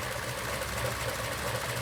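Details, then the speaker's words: 1941 Ford Super Deluxe Business Coupe flathead V8, three-speed manual, idling in neutral: soft, even, low idle with steady beat and no knocks or ticks, remarkably quiet; normal idle. "it's so quiet I never knew that flatheads were so quiet"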